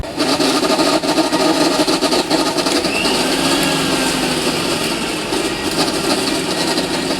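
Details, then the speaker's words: Philips 16+16 mixer grinder running before disassembly: loud harsh motor roar with fast uneven rattle about four times a second, far noisier than normal; cause not yet found. "इसके अंदर बहुत ज्यादा आवाज आ रही है। बहुत ज्यादा इसके अंदर आवाज है।"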